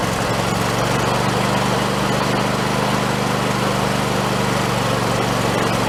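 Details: Husqvarna YTH2454 riding mower small engine after carburetor rebuild with kit, just started: smooth even hum at steady speed, no misses or knocks, running healthy.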